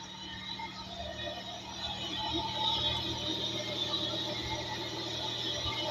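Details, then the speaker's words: Hyundai Tuscani (Coupe) V6, timing belt done under 500 km earlier; light, uneven ticking about three per second over a hissy idle, owner suspects a pulley; engine ticking, source unknown. "Vous entendez? L'espèce de... Pas normal ça. Un V6 j'en ai eu avant, ça faisait pas ce bruit là."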